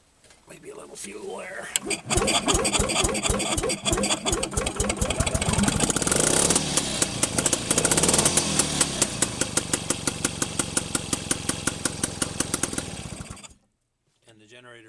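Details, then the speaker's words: Penguin's two-stroke engine after teardown, test run in reverse: cranks on a weakening battery, catches within two seconds, runs with a quick even crackle for about ten seconds, generator light goes out, shuts off cleanly; normal running. "did go out in reverse it sounds like my battery's getting a little weak so that is a successful test of the engine"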